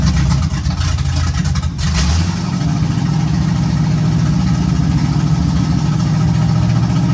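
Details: 1951 GMC cab-over truck after first start and temporary vacuum leak fix: brief rev, then a smooth, even low idle with no knocks or stumbles; runs good.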